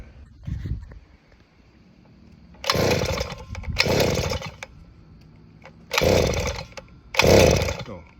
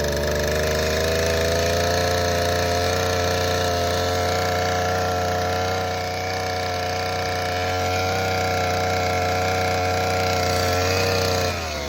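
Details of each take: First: Southland 43cc auger engine after fixing a fuel-flow issue and priming with the primer bulb: four recoil pulls, each a short rasping whir about a second long with no firing; no start because the ignition switch is off. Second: Southland 43cc two-stroke auger after fixing fuel flow issue and priming via primer bulb: steady even drone at constant pitch, then winding down smoothly to a stop; running normally.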